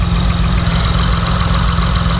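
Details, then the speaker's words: 2006 Honda Accord J-series V6, first start after a Stage 2 cam install with valve and timing belt adjustment, not yet tuned: deep, choppy idle with a steady, uneven lope and strong low pulses, a normal cammed idle. "Oh my God, listen to that loopiness. You hear that shit? Listen to that loop."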